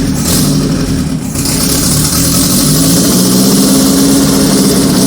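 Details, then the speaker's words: 1978 G12/612 engine overhauled after sitting for decades: won't settle at idle, speed wandering up and down because its electric idle valve doesn't work. "this can't hold idle because it has this stupid electric uh idling valve and of course it doesn't work"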